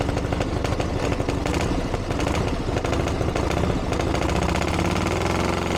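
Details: 1982 Harley-Davidson Ironhead Sportster after two years of tinkering, started on choke with timing reset; loud, uneven V-twin lope holding steady, no knocks or rattles. Running properly, better than ever, though owner feels it's slightly lean under acceleration and needs further tuning.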